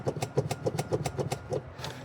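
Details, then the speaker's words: Abandoned police Charger being rebuilt, battery showing full: rapid even clicking about seven per second, then silence, motor never drives; owner suspects a blown fuse trying to reset itself, not confirmed. "But I'm hearing what most hap what happens to most of these cars. It's the fuse that goes out. So you hear that clicking"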